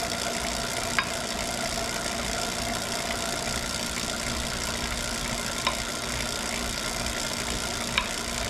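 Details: Wahoo Kickr Core trainer spinning: steady hissing whir broken by three sharp, isolated knocks at irregular intervals, an annoying intermittent knocking.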